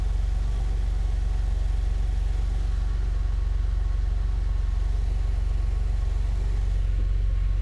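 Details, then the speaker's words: Porsche 911 flat-six bought as 'burn damage, does not run', first start: steady even idle with smooth low rumble, no knocking or misfire; engine runs fine. "Have I just bought a car? That's a Porsche 911 for a bargain price that is absolutely fine."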